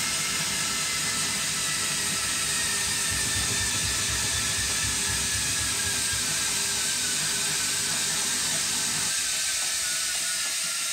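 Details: Hotpoint washing machine running: harsh, hissy grinding rasp throughout with little low end; cause not yet pinned down. Abnormal running noise.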